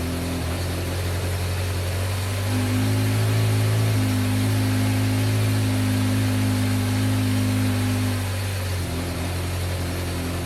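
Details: 1986 Yamaha FZ600 four-cylinder, not run for 15–20 years, with fresh oil and newly fuelled carburetors, on its first start of the restoration: fires up, settles to a steady low idle, revs smoothly and drops back. It runs normally, though a fuel leak appeared.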